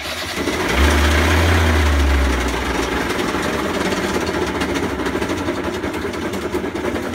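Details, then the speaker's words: WK 50cc GP two-stroke moped with 3,800 miles: rough, fast knocking of about three beats a second over a hard-running engine. Suspected crank/bottom-end bearings, possibly run without two-stroke oil; unconfirmed. "oh I don't know whether you can hear that over the microphone that is crank engine bearings something seriously Ed up in that engine"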